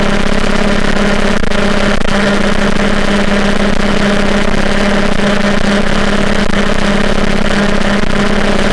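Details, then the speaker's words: MBK 51 scooter with a Bidalot G2RR cylinder, 24 mm PWK carburetor, Polini reeds and a Ninja G2 exhaust: steady low two-stroke idle with a busy clatter. The clatter comes from the carburetor and intake, not the quiet exhaust; running too rich at low revs. "on entend beaucoup de claquement ça c'est le carburateur c'est l'admission mais le pot en lui-même il claque le pot en lui-même est plutôt silencieux"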